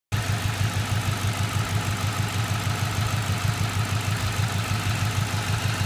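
Steady idle with a light, regular tick riding over the engine, roughly two a second; a ticking noise, source not yet pinned down.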